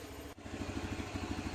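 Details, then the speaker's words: Honda Beat scooter that stuttered and wouldn't go, after injector replaced, fault codes cleared and ECU reset; fuel pump pressure fine; injector opening about 2.7–2.8 ms at idle; steady even single-cylinder putter, no stumbles; normal idle. "Kita hidupkan saja. Dan ini pun motor pun normal kembali. Untuk bukaan injektor normal di 2 koma berapa itu saat di dia saat dia idle sekitar 2,8 apa 7 ms perd detik."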